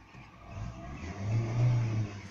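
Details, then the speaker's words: Lada Vesta after the oil pressure sensor was replaced for code P0523; low, smooth engine note swelling with revs and settling again with no knocks or misses, running well. "слышите работает отлично"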